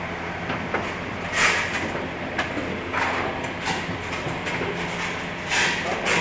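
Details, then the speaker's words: Bucket elevator after repair: the chain alignment guide was flipped back to its original position and the chain, which had come off the sprocket, was realigned. Even chain running with light rattles as the buckets pass, no clunks or creaking; now quiet and normal. "Ngayon tahimik na tahimik yung andar niya. Walang lago-lagutok na maririnig ka sa kanya lumalangit-ngit. Normal na siya, okay na."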